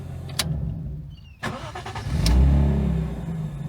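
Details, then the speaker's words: Lexus IS200 drift build, after DIY fuel pump work and two weeks without running: a couple of clicks, then the engine catches quickly and settles into a smooth, even idle with no misses or knocks; starts normally now. "Car starts. Very normal now."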